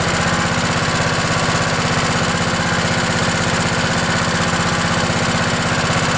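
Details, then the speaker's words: Craftsman LT1000 riding mower with 16 hp Kohler Command OHV engine, cold start at about 20°F after an ice storm, on choke; steady, even single-cylinder thump about four beats a second, no misses or knocks; started and idled cleanly. "let's see what happens wow this thing's ready to go"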